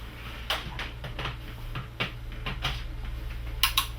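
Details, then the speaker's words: Philips 50PFP5532D/50 plasma TV that shut down: sharp relay clicks over a steady low hum as mains is applied, VS reading 205-206 V, boards heard working; normal power-up. "the relay clicking. My 205, 206 volts, and I don't know if you can pick it up in the camera, but I can hear the boards actually working away."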